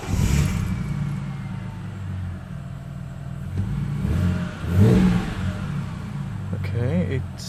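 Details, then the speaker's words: Ford Falcon XR6 BA just after spark plug change and air intake refit: engine catches and settles into a smooth, even idle with a rev blip, no misfire or knocking; normal start and idle. "it seems alright. It didn't blow up."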